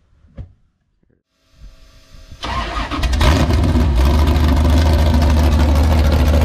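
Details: Tatum sand car V8 with a big cam cranks briefly, catches and settles into a loud, lumpy, steady idle. It sounds healthy.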